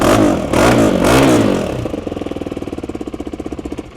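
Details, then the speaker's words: 2018 KTM Duke 390 single-cylinder, 72K mileage, Akrapovic titanium slip-on exhaust: sharp revs settle to uneven idle with sputtery puffing at the pipe joint, small exhaust leak because it isn't tight, to be tightened. "Ini dia ada bocor sikit sebab dia tak ketat, nanti kita akan ketatkan lah."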